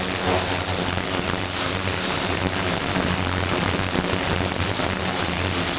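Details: Vintage David Brown 990 diesel tractor, revived after 20+ years abandoned, clutch freed: steady even beat with smooth low throb, no knocks or misses; running cleanly and healthy.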